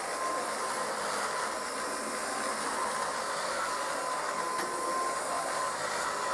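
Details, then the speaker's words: Kirby 560 vacuum after a new Lexan fan: steady loud roar with a faint thin whine near one kilohertz; worn motor bearings, brushroll also noisy. "it's still not perfect as you can tell it still has a little bit of very noise in the motor and the brushroll is pretty noisy on it too"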